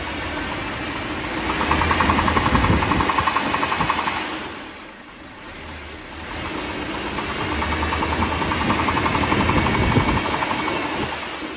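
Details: 1957 Mercury 368 cu in V8 idling: steady fairly even knock about four per second, worse when cold but still present at higher rpm when warm; cause unknown.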